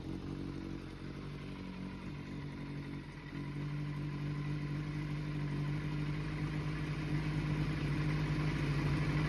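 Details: Kawasaki ZRX400 (ZR400E) four-cylinder start-up check: smooth note climbing steadily as the throttle opens, even and clean with no knocks, rattles, misses or white smoke; revs healthily.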